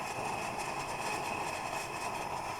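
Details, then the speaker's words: Plumber's pot (smelting furnace) burner giving a steady, even hissing roar with no sputter or pulsing; normal clean burn. "I'm going to turn it down a little bit so we're back to blue flame."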